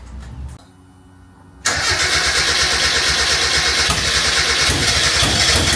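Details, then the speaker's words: 1991 Japanese-import Mazda MX5 1.6 with a rebuilt engine, after the no-fuel issue was fixed: a short crank, then it fires cleanly into a steady even rumble. It gets fuel and starts fine; the starter may be sticking. "yeah well you're getting fuel so that's fine runs better on brake cleaner"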